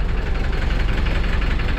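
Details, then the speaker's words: Hyundai H100 with D4BB diesel that stalled after driving through floodwater; water was cranked out via the heater plug holes and the oil changed. It idles heavy and lumpy with an uneven pulsing beat and knocking: rough and misfiring, with white smoke. "Tapos nanginginig. Ari. Yan ah. Sama na ng andar mga bossing."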